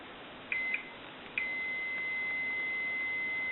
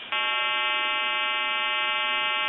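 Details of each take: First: Stromberg Carlson wood wall crank telephone repair, meter testing ringer solenoid coil: a couple of short chirps then a steady high continuity beep; this coil is good, while the coil on the other side reads nothing. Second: Stromberg Carlson wood wall crank telephone repair, calling a time-and-temperature line on another telephone: recording starts, then a loud steady buzzing hum about two and a half seconds; fault in the provider's equipment, not the telephone.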